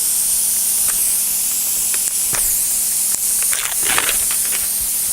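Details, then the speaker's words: Punctured radial tubeless tire during plug repair: a continuous sharp hiss of air escaping through the hole, with a few handling clicks. "All right, a little bit better angle here for us, and you can hear the air still coming out."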